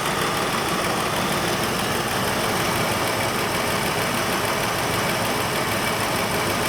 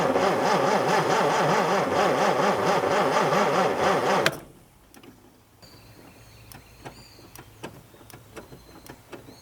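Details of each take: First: Mustang II Cobra that sat 27 years. It had run rough because a spark plug wire was knocked off; after refitting it there is a steady, even idle with no misses or stumbles, much smoother. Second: Mustang II Cobra that sat outside 27 years; the starter churns at an even two beats per second for about four seconds but it never fires. No spark even with a borrowed coil, and the distributor wires are chewed up, so a faulty distributor is suspected.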